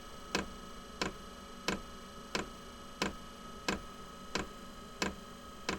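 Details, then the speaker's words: Inexpensive diesel heater being set up to heat a small shed/workshop, during priming and initial startup with fan running: loud, evenly spaced ticking (about 1.5 per second) over a faint hum as the fuel dosing pump primes; ticking reportedly stops after startup. "there's the glow plug right you hear it ticking louder and from what I've seen that loud ticking goes away after it finishes this priming and uh initial startup"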